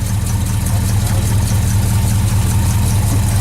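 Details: 1968 Ford Galaxie V8, cold start at night with hood off after pumping the gas: deep, steady idle with a slightly uneven lope while warming up; nothing wrong heard.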